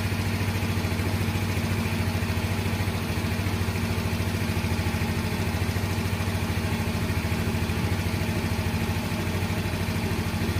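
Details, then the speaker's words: Yamaha X-Ride fuel-injected Blue Core scooter after throttle body cleaning and scanner reset: steady low idle with an even, regular beat, no hunting or stalling; idle neither too high nor too low. "Nah ya stasioner sip untuk stasionernya jangan terlalu tinggi jangan juga terlalu rendah Ya intinya pokok enggak matian"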